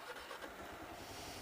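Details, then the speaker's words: Kawasaki KLR single, in gear with the clutch held in: quick low chuffing settles into an even beat and it starts and runs normally; troubleshooting for a bike that would only restart in true neutral. "yeah it don't matter if you're in gear or not if you're holding on a clutch it should start"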